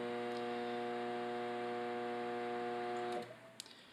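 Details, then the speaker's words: Samsung combination microwave and oven on a 30-second microwave run: loud steady mains-pitched buzz with stacked tones, then it stops; it powers up and the turntable works but nothing heats; failed magnetron. "So it powers up and everything turns on and the turntable's working, but it's just getting a buzzing noise and it's not actually heating up anything."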